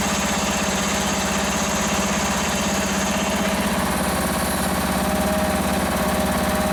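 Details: Free Toro ride-on mower's small single-cylinder engine runs after fuel was raised above to fill the float bowl: steady even idle, no misses or surging; running properly, though it needs a new battery.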